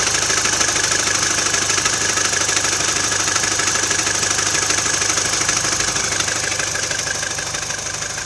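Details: Mini Cooper R56 (non-S) petrol engine at steady idle: light, fast rattle and tick about two beats a second, treble-heavy; intermittent every 2–3 weeks, usually settles after a few minutes, sometimes faintly heard driving; knock of unknown origin.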